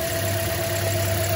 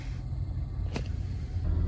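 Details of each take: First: 2010 Toyota Corolla idles with a low, shaking, uneven beat from a cylinder 3 misfire, with a flashing check engine light and no speed over 40 mph; misfire counters and a tailpipe pressure scope confirm cylinder 3. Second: 2010 Toyota Corolla after replacing a misfiring cylinder 3 coil with a new NGK coil and new spark plugs (old plug gaps were very large); heard from inside the cabin on a test drive, a low, even rumble with no stumbles, zero misfires.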